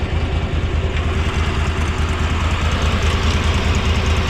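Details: Cushman Truckster small engine after carburetor clean, new plugs, air filter and fuel filter; lumpy, uneven idle about two beats per second that never settles, running rough and later smoking; fuel pump and head gasket under suspicion, cause unconfirmed.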